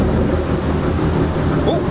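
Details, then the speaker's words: Ram truck Hemi V8 with an aftermarket cam, on the dyno with the stock tune reloaded; previously zero chop and idle at 1000: deep, uneven idle rumble with a rhythmic chop, running well. "what's that sounds like we're chopping thank you sounded pretty good right so we're already heading in the right direction on this"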